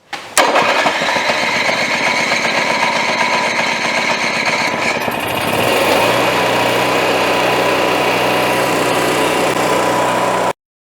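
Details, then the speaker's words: Onan 4000 W generator after new brush block, previously not making power: starter cranks briefly, engine catches and settles into steady, even high-pitched hum; reads 62 Hz and about 120 V with no load before the load bank is switched on. "right, the generator is running right now, and here is my fluke meter. It's set to hertz, 62 hertz, no load, and it was making 120 some volts."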